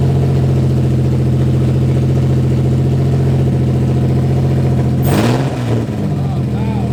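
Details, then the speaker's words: Infiniti G35 started after a faulty wire was fixed, running on straight headers with no exhaust or catalytic converter: a steady, deep, very loud even idle. The engine runs healthy and is loud only from the open headers. "so she runs but she runs these challenges loud as hell but we didn't have you know i don't have an exhaust or a cat or it's just straight header yeah anything"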